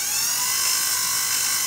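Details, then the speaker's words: Brand new Regency i1500 wood burning fireplace insert, first small break-in fire, stove warm, blower switched on: steady thin high-pitched whine with little airflow rush; owner suspects bad bearing in the electric blower motor. "something's wrong with that motor there's no way that a brand new blower should make noise like that so it sounds like a bad bearing or something like that in the electric motor in there"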